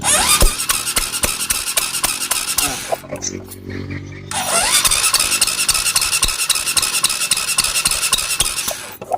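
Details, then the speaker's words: Supra X 125 motorcycle after valve clearance set to 0.5: even cranking chuffs at about 220 per minute with a squeal at the start; compression now stronger than before and sounds healthy. "est plus forte que la précédente, comme tu l'as vu plus tôt,"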